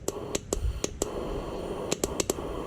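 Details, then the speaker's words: 2009 Cummins 6.7 diesel, number two injector energized with air pressure applied, heard at injector hole: crisp uneven solenoid ticks over soft steady air hiss, some fuel mist; injector switching and passing air normally. "there's that the injector hole for the number two injector you can hear the clicking of the injector and the air pressure going"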